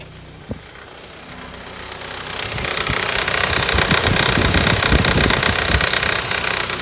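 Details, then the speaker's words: 2012 Honda CR-V at idle in Drive or Reverse: swells into a louder, rougher drone with a beat about two to three per second when the climate blower fan is switched on; stops in neutral or with the fan off; cause unknown. "but then yesterday I stopped at a light sign and this sound kept going so when I turn on the fan you know where it condition heat or whatever it starts the sound"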